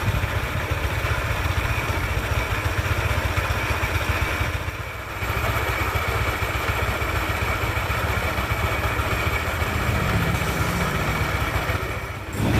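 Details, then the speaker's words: Yamaha NMAX scooter with CVT pulleys and roller housing removed: loud, uneven clatter at idle rising with revs, so not the CVT but suspected crankshaft or engine block side; not yet confirmed. "the sound is still rough, which means the main cause of the roughness is not the CVT part, but the side of the crankshaft or the blog part"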